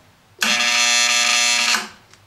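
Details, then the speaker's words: Main power relay RY301 in the power supply of an EF Johnson 500 ham radio transmitter, fed from a variac, chatters with a harsh steady buzz; aged relay lost inductance and cannot pull in. Fixed by replacing the relay. "okay that relay right there is what's causing the noise let me get you in closer all right close-up view on relay 301 i'm going to apply power you can see what's going on those contacts are chattering"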